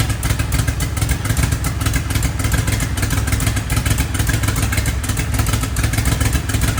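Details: Twin-turbo DeLorean V6 parked about 40 years, started by pushing down the metering plate. Rough, uneven low rumble with scattered clatter, running unsteadily; engine runs after long storage.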